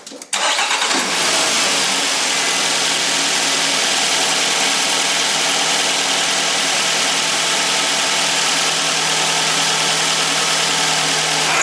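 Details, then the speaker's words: Nissan X-Trail engine starting and running with a harsh, gritty grinding from the alternator that whirs on briefly after shutdown; damaged alternator bearings, alternator being replaced. "that grinding noise is a result of damaged bearings"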